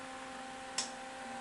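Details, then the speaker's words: Cap-dump circuit: quiet steady electrical hum and groan with a faint higher tone and one sharp tick as capacitors charge, drawing high current, running around 60, barely warm. "it starts humming and groaning when it fills the Caps it takes a lot of power to fill those caps quickly"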